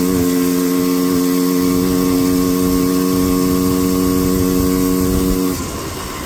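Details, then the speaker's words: Four-wheeler at full throttle while riding: steady droning note that never climbs or clears, then drops off, held back and bogging under load, slower than down in the valley; cause suspected, not confirmed. "You guys can probably also hear it when I go full throttle. It sounds like it wants to bog down the whole time, but it's still like, it still goes in full throttle."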